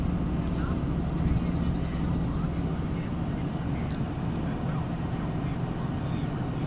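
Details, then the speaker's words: 2002 Chevy Silverado cold start after replacing the intake manifold gaskets to fix a rough, low cold idle: even, settled low rumble with no chugging, stumbling or misfire; runs properly. "don't hear any chugging you don't hear any of that"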